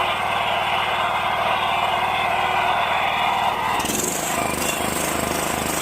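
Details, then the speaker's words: Scag 36-inch commercial walk-behind mower, four-stroke gas engine with low compression (about 60–70 PSI), after oil change and maintenance: steady, even running with no more of the lifter knocking/ticking. "Yeah. It's good. No more noises. And it runs really smooth."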